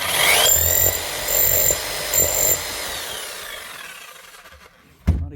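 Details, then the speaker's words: Hammer dead from a yanked-out disconnected wire, after reconnecting: motor runs in three short bursts with a high clean whine, winds down smoothly; healthy normal running. "Nothing wrong there at all. For some reason, somebody yanked out that wire and shoved it up here."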